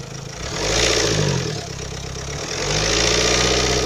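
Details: Renault Kangoo K9K 702 diesel, only when fully warm after about 10 minutes at 2000 rpm: raspy, puffing hiss rising and falling with revs like a cracked muffler; seems to come from near the EGR, no exhaust cracks found.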